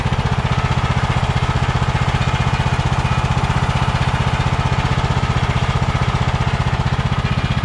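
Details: Kohler Courage 20 hp on a Craftsman DYT4000, fuel line filled down to the carburetor: even, steady thumping at low idle with no misses or surging, a smooth runner. Normal idle.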